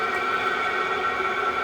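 A steady, even whirring roar with a faint high whistle on top and no surging or hunting; the diesel heater is running normally.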